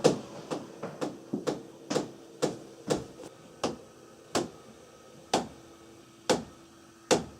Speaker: It's the noise of the water flowing through the pipes a little bit too high pressure. And that can cause what is the noise that people would call water hammer, which sounds like this.